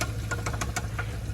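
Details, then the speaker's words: Car idling with sharp, regular ticks at about six or seven a second over a low rumble. The owner doesn't know the source and assumes the camshaft because power is down; he was told the camshaft needed replacing. "literally don't know what the heck that is and where is it coming from I'm assuming it's coming from the camshaft because I am not getting any power like I would usually do"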